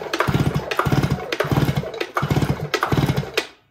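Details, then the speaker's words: STIHL TS500i electronically controlled cutoff saw that won't start, with fuel coming out the exhaust per customer; spark plug recently replaced; five rattling pull-cord strokes with no firing, and the spark test shows no spark. "got no spark"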